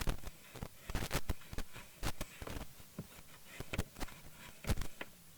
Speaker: bad definitely have some crackling in there and here's another thing too and the reason I say to push it left or right is because also there's a break-in connection due to a dirty Channel